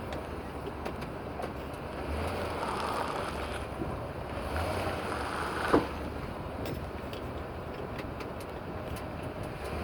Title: Front end popping noise when I trun on 2017 Silverado